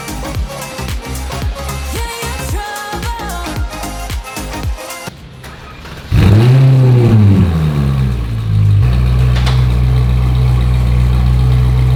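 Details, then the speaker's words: Ferrari 458 GT3 at the shop after parts install, O2 sensors still to be replaced: music gives way to a crank, engine catches with a rising bark and drops to a steady even deep idle; sounds better already. "From the first crank, it actually sounds better already."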